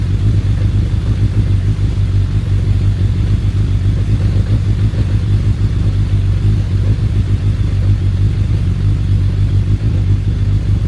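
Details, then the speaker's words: Suzuki Bandit 1200S, started on choke with a jumped battery, settling to idle: steady deep rumbling idle with an even low churn underneath; owner attributes it to the clutch basket, possibly the SACS cooling system, uncertain. "down into idle oh she sounds good you can still hear the clutch basket making that churning sound that's so weird that those clutch baskets"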